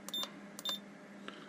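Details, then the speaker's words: Ranger 2950 radio after repair of non-working front-panel buttons: two short high electronic chirps about half a second apart over faint hum as buttons pressed; panel responds normally. "Split. Won't do anything because it's not programmed yet, but it makes a wee noise."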